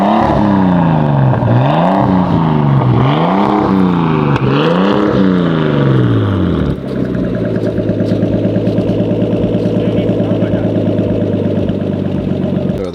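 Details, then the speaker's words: Nissan R32 Skyline 4-door, first start after five to six years unused: revs swing up and down, then settle into a steady, even idle with no knocks or misses. The engine sounds healthy, though the turbo has failed (oil found in the boost/intercooler pipe). "but at least the engine sounds healthy so some bad and some good"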